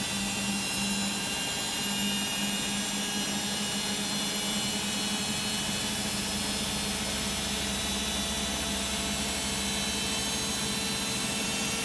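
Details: Beko WM5100W 5 kg washing machine found on the street, plumbed in with rags inside, on a spin lasting about 10 minutes. A loud, steady roaring hiss with a high whine and no knocking; excessive spin noise, possibly worn motor brushes (suspected).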